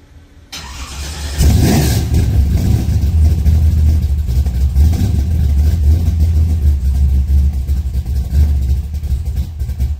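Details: 1962 Nova just after welding in chambered mufflers on reused custom-bent mid pipe: engine catches and settles into a deep, even rumble with steady low burble, no rattles or leaks; normal healthy exhaust note.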